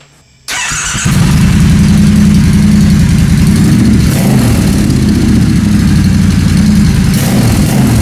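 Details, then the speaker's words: 2016 Triumph Bonneville T120 Black converted to scrambler, first start with new short pipes, catalyst replaced by a link pipe, heat wrap, checking for exhaust leaks: loud, throaty, even idle, no ticking or puffing from a leak. "Voilà, là c'est une Triumph. Là c'est une Triumph. Laisse-la tourner un petit peu."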